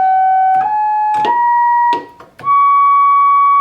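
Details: Vintage ARP Pro/DGX analog monophonic synth before restoration: clean notes step upward with scratchy crackling at nearly every note change; some voices sound wrong and the pots are scratchy.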